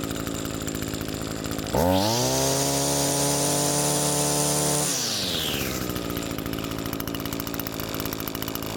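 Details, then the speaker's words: Comparison two-stroke trimmer, cold with an empty carburetor, choke open, unused for about 3 months: even burble at idle, snaps up to a clean steady high-pitched scream for three seconds, then settles back smoothly; normal idle and full throttle. "That's the idle I'm looking for, the high speed RPM I'm looking for."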